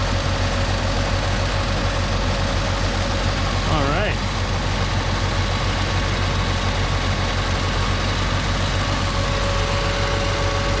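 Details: 1987 Pontiac Acadian idling after the plug wires were checked as properly seated, during a check before a road trip; even, steady idle with a smooth low rumble and no misses, knocks or ticks, sounding healthy.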